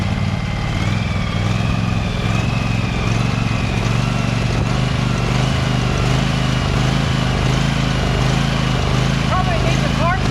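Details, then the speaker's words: Husqvarna 2346XLS hydrostatic lawn tractor driving after rust-bound brake and gas pedals were freed with lubricant: steady, even low drone that holds its pitch, no stumbling or stalling; normal running. "this is a pretty quiet engine anyway but i'm gonna start it up and see if it works"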